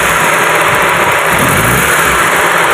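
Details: Car engine with jerking, no power, running on 3 cylinders: steady drone with slightly uneven shaky beat; rough idle, misfiring cylinder suspected, plugs being pulled one by one to check.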